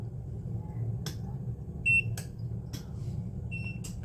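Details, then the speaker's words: EcoFlow River portable power station during initial charge/discharge testing with solar input, readings fluctuating and clicking; two short high-pitched beeps about 1.5 s apart over room hum, warning of insufficient solar input. "that has more to do with solar these do this when they're not getting enough solar so I'm gonna unplug that one kill that noise"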